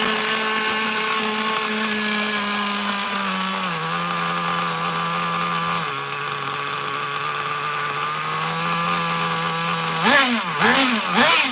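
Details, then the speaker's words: Traxxas Nitro Slash nitro engine, slow on grass, bench-run: a high-pitched steady scream whose pitch sags and hunts in steps, then sharp flaring revs. Owner thinks it is running a little too lean on the Traxxas carburetor; suspected, not confirmed. "Now I think it's a little too lean. Got to love a Traxxas carburetor."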